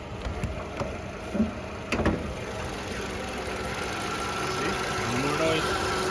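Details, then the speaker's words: 2012 Toyota RAV4, after replacing a component whose worn internal bearing had excessive play and caused a constant engine rattle; heard under the hood: a few handling knocks, then a quiet, even idle with no rattle, normal idle. "i'm going to turn it back on and i'm going to show you under the hood you can hear the car is on nice and quiet no more rattle nice and"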